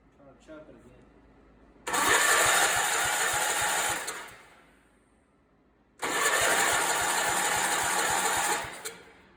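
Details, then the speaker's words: Barn-find Allis-Chalmers 416 garden tractor with loose, reworked wiring, spark present and looking moist inside: two cranking bursts about two seconds each, steady starter churn with no firing; cranks but will not start. "she should be fired i've got spark as you can see it looks moist in there so i want to say it's getting it"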